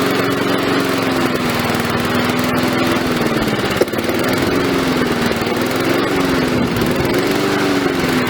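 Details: Victa lawn mower revived: steady drone with the pitch drifting only slightly up and down, no knocks or misses; it runs well, still smoking from the muffler while it clears.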